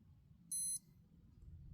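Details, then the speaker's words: Citizen Promaster Divers AL0004-03W watch: holding button C for two seconds to enter dive mode gives one short, sharp high-pitched beep in a quiet room, then both hands go to zero. Normal dive-mode entry beep. "To enter the dive mode once you've well you don't have to set your depth on but but to basically to enter dive mode press and hold button uh C button for two seconds."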